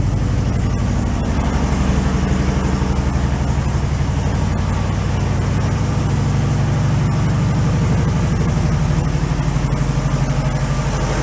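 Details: 1968 VW Beetle air-cooled engine, sat 5 years, at steady, even low idle after restart with a smooth four-beats-a-second putter; no knocks or misses, oil pressure good, sounds healthy.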